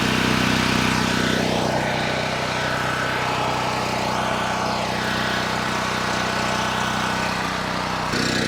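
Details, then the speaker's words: Cheap Chinese mid-size gas generator, first start: engine drones steadily with a sharp puffing tick about three a second on the exhaust note, an exhaust leak; fresh oil also leaking from the engine bottom. "we got an exhaust leak too"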